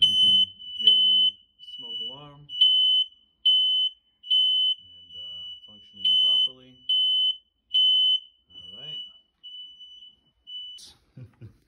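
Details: Every interconnected smoke alarm in a two-unit house (Kidde units dated 2016) tested on 03.04.2021; loud high-pitched chirps in a steady repeating pattern, about seventy a minute, each alarm sounding properly.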